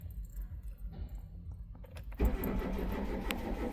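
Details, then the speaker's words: 2010 Hyundai Getz, crank no-start with no fault codes: starter churns steadily at about four turns a second but engine never catches; scan tool shows no engine speed, crank sensor failed or wiring damaged. "So as you can see I can't see any engine speed. So that's looks like the the engine crank sensor failed."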